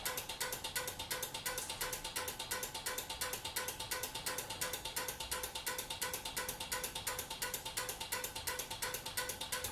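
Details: Relays clicking crisply and evenly about three times a second as incandescent party bulbs flash, switching 120 volts on the hot side via a converted 12-volt LED strip receiver; normal relay operation.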